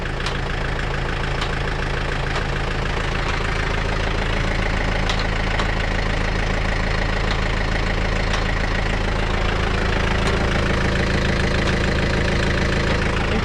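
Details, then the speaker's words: Heavy diesel running steadily under load while moving stuff around the yard, with sharp snapping and cracking noises about twice a second; the source is unclear and needs tracing. "I probably just bound it up. That's probably a good safety thing to be honest. Uh for something like that. I hear that thing snapping and cracking."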